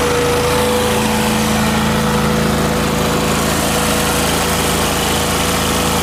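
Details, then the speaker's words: Miller Trailblazer welder engine after fitting the vacuum-operated fuel pump: steady even idle, no stumbling or surging; the pump was the fault, mixture screw adjustments did nothing. "putting the fuel pump on fixed it so it was this vacuum operated fuel pump that was the issue because it runs fine now"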